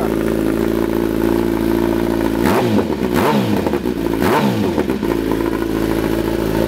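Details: 2008 Kawasaki ZX10 four-cylinder after replacing the starter solenoid (bike had been cutting off after running and sometimes not restarting), first start: steady even idle with a few quick throttle blips rising and falling cleanly; healthy.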